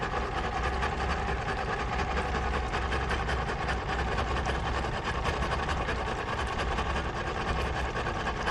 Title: 0718 rough idle but running